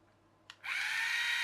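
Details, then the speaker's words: Charity-shop toy electric train, motor and gearbox partly reassembled: after a click, a steady, high, buzzy whir, even and smooth. Motor runs normally and turns the first gear, but the next gear is split. "motor runs that gear turns but the next gear but I can see that this one split as well"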